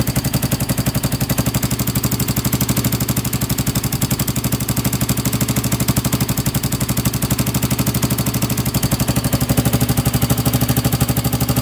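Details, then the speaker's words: Honda 400EX quad, single-cylinder, started backfiring after a part was bumped, choke mechanism coming up; sharp harsh pops about three per second in choppy uneven rhythm while running; carburetor adjustment suspected, not confirmed. "then he said the choke mechanism started coming up and it was uh backfiring that's why the carburetor is adjusting"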